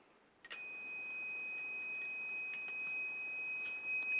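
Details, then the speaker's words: GB40 jump starter booster clamped to a test lamp standing in for a car battery. A shrill, steady beep starts as the clamps go on and a red light shows; it detects no battery and will not allow starting. "il met rouge donc là ça sert à rien d'essayer de démarrer la voiture on n pas de courant"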